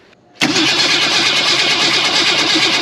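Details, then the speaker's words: Ford Falcon wagon parked 38 years, cranking after a new fuel system was installed: a lively, even starter whir spins the engine steadily; the starter sounds strong and healthy. "Forgot how happy that starter is."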